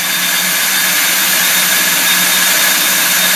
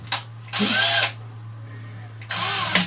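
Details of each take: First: Stihl 145° pole trimmer head (700mm) running after rebuild and greasing (it was noisy before): steady, even whir with no knocking or grinding, then spin-down. Much quieter and smoother than before. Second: Stihl 145° pole trimmer head (700mm), spun fast by a drill at maximum speed in the clockwise direction, makes two bursts of harsh high-pitched rasping grind; the noise comes from worn cam drive gear teeth (Stihl cog 4243-640-1600).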